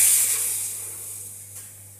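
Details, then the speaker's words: 1300 W PCP high-pressure air compressor after filling a gun to about 2500 psi; sharp high air hiss dying away over two seconds from a fill fitting deliberately loosened, not a leak. "bukan sahabat bukan enggak kebocoran memang sudah saya kendorin jadinya kayak gitu"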